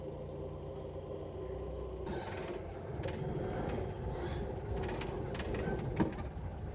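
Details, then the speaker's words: 1970 Hindustan Ambassador Mark 2 petrol, rebuilt engine with about 140 km, cold start after a week, held at slightly raised rpm for oil pressure; an even drone with some clatter. Normal cold idle; piston wear and the carb are suspected for cold sluggishness. "the oil pressure climbs up immediately so by by holding the RPMs higher you make sure that the oil pressure is high so that the internals are well lubricated"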